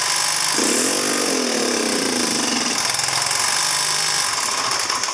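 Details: 2009 Genuine Buddy 125 scooter revived, carb cleaned, now idling: small engine buzzes at idle, pitch climbs briefly on throttle then sags and stumbles instead of revving; bogging on throttle, faulty CDI suspected.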